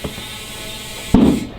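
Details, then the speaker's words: Motorcycle tire mounted by hand without a tire machine, valve stem reinstalled, inflated with an air compressor: a steady hiss of air, then a sharp loud pop as the bead snaps onto the rim. The bead seated properly. "And then you're gonna throw your valve stem back in, and then air it up. Make sure both sides of the beads pop, and always fill it up to max PSI."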